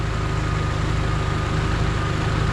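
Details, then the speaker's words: 1989 Honda Civic EF sedan, 5-speed manual, revived with motor work: steady, even low idle with a smooth unbroken beat, no misses or knocks and no smoke; the engine sounds healthy. "But as you can see, the motor sounds smooth, no smoke out the back. You can see we're going back here. See? The car sounds good, no smoke."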